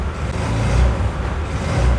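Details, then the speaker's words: Honda Air Blade 110 fuel-injected scooter, fuel pump pressure already checked: revs swell briefly then sag and stall when throttle opened hard instead of climbing; bogging on throttle traced to clogged fuel injector. "anh em thấy mình ga lên nhưng mà xe ga Vâng đấy khách hàng đang nói với mình là ga mạnh lên cái là tắt ngay đây anh em mình nghe này tắt thật"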